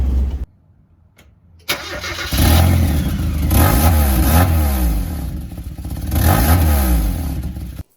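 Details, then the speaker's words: Mazda Miata starting and revving with a new catalytic converter fitted: loud raspy blatty exhaust note like an open pipe; exhaust leak, likely as the old rear gasket reused is much smaller than the new one. "the old uh gasket is quite a bit smaller than the new one i'm pretty sure this is why it still sounds like a trash can"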